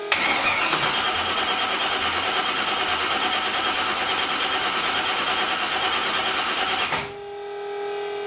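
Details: Project car with a new 900-cranking-amp battery: starter spins at a steady, even whirring rhythm for about seven seconds without catching; cranks, no start, suspected a wire or relay labeled coil.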